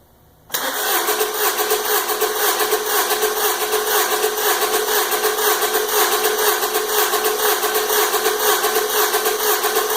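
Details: 2002 Honda Accord four-cylinder, 190k miles, misfiring on cylinder 4 with a flashing check engine light: with the fuel pump disabled, the starter cranks steadily about two pulses a second and never catches, during a compression test (about 22 PSI).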